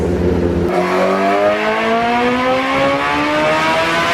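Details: 2008 Suzuki GSX-R1000 on the dyno, warmed up, pull under load: sharp throttle pickup then a smooth rising howl climbing evenly to the top with no stumble; the bike had a fueling issue a previous ECU map didn't fix, with a new fuel pump assembly fitted.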